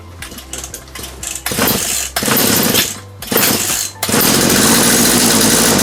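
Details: Chainsaw after fuel hose replacement and carburetor reassembly with a new gasket: engine catches in short bursts, cuts out, restarts, then revs ragged; starts but carburetor misbehaves, possibly needing a carburetor repair kit. Cause unconfirmed.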